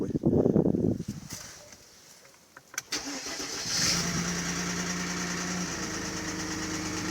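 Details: Mercedes ML320, M112 3.2 L engine, start then idle: hollow knock following engine speed after starter catches; piston slap from pistons rocking in scored cylinder bores, common M112/M113 fault, fix is sleeving the cylinders.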